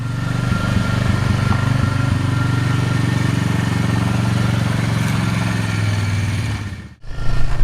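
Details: Polaris Magnum 325 single-cylinder ATV that was starving for fuel, running lean and backfiring, now with the correct air cleaner fitted, on a test ride. Thumps smoothly under steady throttle with no lean popping, backs off and picks up cleanly; running normally.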